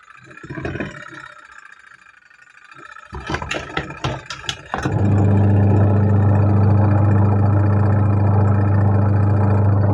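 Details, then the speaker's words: Polytron two-tub washing machine, wash motor that cut out in use, after repair (fault was the supply line/plug, not the machine), timer on: handling clunks, then motor starts into a strong steady low hum, no stutter, running normally. "Kita nyalakan timer, lalu kita coba colokan ke PLN. Nyala. Nyala ya."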